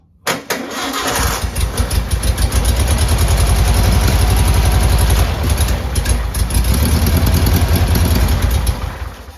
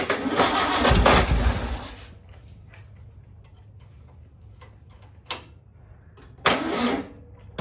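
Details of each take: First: 1959 VW original 36hp air-cooled engine, start after rebuild, second day after recharging jump box: cranks briefly, catches and settles into even, steady low putter, no knocks or misses; normal idle. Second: Rebuilt original 36hp 1959 VW engine on its first start attempt, cranking slowly on a weak jump box; catches and runs roughly about two seconds, then dies to clicks. It barely fires and the jump box needs recharging.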